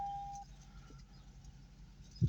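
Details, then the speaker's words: 2003 Lexus SC430 V8 after a one-bolt 10 mm repair for a misfire and engine light: steady, even low idle rumble with no stumbles or skipped beats, now running smoothly. "idle perfect success finally something simple has been performed by me"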